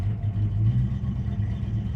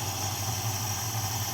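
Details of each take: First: 1969 Dodge Dart GT revived after nearly 12 years, new aftermarket carburetor, in gear testing reverse and forward: deep, lumpy idle with uneven pulses as the choke re-engaged; running rich and loading up, mixture screws need adjusting, weak throttle return spring. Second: 1969 Dodge Dart GT after the carburetor was dialed in, with a choke pull-off issue still pending: a steady, even low-rumble idle with only a slight stumble and no more smoking. Normal idle.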